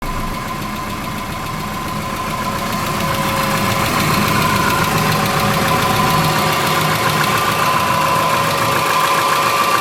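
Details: 2003 Subaru Forester, 178k miles, about 150 miles after repair of a dropped valve guide: steady quick ticking, about three to four a second, once engine drops to low idle; exhaust valve lash .029 on one cylinder, gone after valve adjustment.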